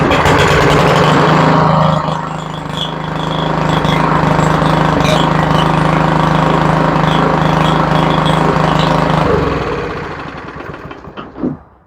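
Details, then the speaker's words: Yard Machines mower that sat a while, started outside after fresh gas: runs with irregular sharp pops cracking through the exhaust, like a two-stroke, before dying away; cause not determined. "It pops like a two-stroke."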